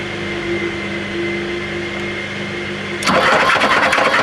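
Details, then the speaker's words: 1987 BMW 518i Lux (E28) engine being cranked with spark plugs out and air filter box removed after freeing up; rough, clattering mechanical crank, no longer seized but somewhat stuck; starter motor fine; harsh cranking noise. "you can't see bug all so you just have to enjoy the sound when I crank it sounds a bit mechanical to say the least"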